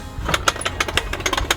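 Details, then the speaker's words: Dometic Universal Patio Awning 8300 on a caravan: a quick run of sharp clicks, about eight a second, as the strap is pulled down with the ratchet set to the down position, showing the ratchet is catching properly. "Up here you've got a clicking mechanism, click it so that it's in the down position because you're pulling it down And you will know if it's working by pulling the strap here here you'll hear"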